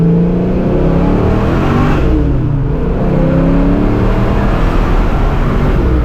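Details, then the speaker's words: 1987 Saleen Mustang Fox body, replacement 347 V8 with smaller cam, driving in fifth gear on test drive after the old unbalanced motor. Deep, even hum, gentle rise and fall in revs, no knocks or misses: normal running; idle air control may need adjusting when clutching. "This thing runs really good. Said the other motor definitely had problems. This one's running great."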